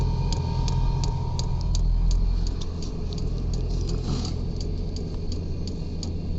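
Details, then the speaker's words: New 5 kW 12V diesel air heater in truck bed, first start, still priming with no glow plug yet: sharp light ticks about three per second over idling truck engine. Normal dosing pump priming. "all right so it's priming which is [Music] good"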